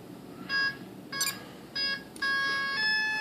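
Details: Volantex/Lanyu ASW-28 V2 sailplane with a replacement ESC, after binding the receiver (DSMX, 22 ms) with throttle cut on. A few short high beeps, then two longer rising tones; the ESC arms normally and the motor does not spin.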